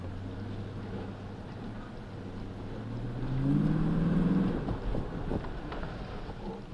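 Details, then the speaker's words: After DIY front/rear brake service on a 2007 Dodge Magnum, test drive around the neighborhood with windows down: steady road and engine roar while braking, no grinding, scraping or squeal; brakes quiet and smooth. "It should be nice and quiet and smooth. Shouldn't hear any grinding."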